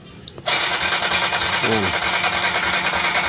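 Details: Kawasaki Z125 motorcycle that dies during long continuous rides; starter whirs steadily at a brisk rate but the engine never catches, cranking without firing; spark plug to be checked first, cause not yet found.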